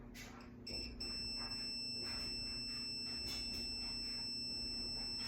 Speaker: And maybe you could hear that it's beeping. So that means that we've got no breakage inside my wiring.